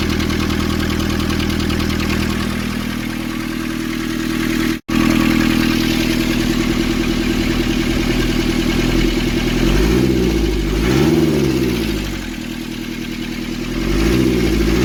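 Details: Nissan Urvan ZD30 diesel after a no-start repair in which a clogged, soot-filled part near a sensor was cleaned and refitted: even clatter at settled idle, light throttle blips rising and dropping back smoothly; healthy.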